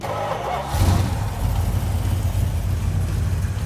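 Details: Junkyard Plymouth Cuda, fed from a gas can at its first start: a deep, steady V8 burble after a quick blip, with even firing and no knocks or ticks; it runs healthy.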